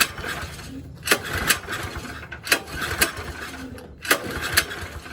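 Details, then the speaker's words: New go-kart OHV pull-start engine with a freshly cleaned carburetor: paired ratcheting cord pulls roughly every second and a half, and it never catches or fires; the owner suspects a damaged flywheel. "it doesn't stop through there either so just in case you're trying to turn it on through this to the key [Music] all right guys so it doesn't turn on"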